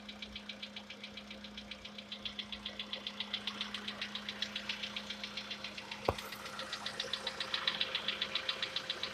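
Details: Sharp, steady metallic top-end ticking about 220 per minute over a quiet idle on a VW Polo Sedan with CFNA engine; the owner tests whether decarbonization cures this long-known knock.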